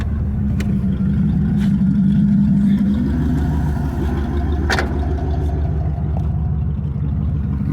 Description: What a 3rd Gen Camaro (91 RS 305 to be specific) sounds like with bad injectors and a blown head gasket.